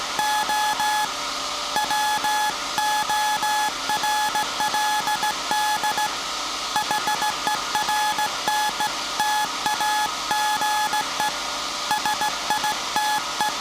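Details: SAQ Grimeton 1924 Alexanderson alternator VLF transmitter on 17.2 kHz CW, December 1st 2024 centennial transmission: clean steady-pitched beeps in even long and short groups, no drift or breakup; normal Morse keying.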